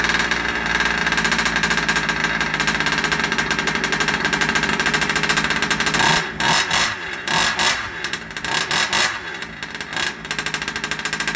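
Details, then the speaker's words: Rovan 30.5 two-stroke RC engine after a full first-time rebuild with an ESP ported high-torque top end and +2mm stuffed crank, first start: fast, high-pitched buzzing idle, steady then wavering slightly with a few blips; healthy. "so glad it started and it's idling, because first time rebuilding an engine, and to hear it run, for those of you who've never done it, there are things in life that are extremely satisfying."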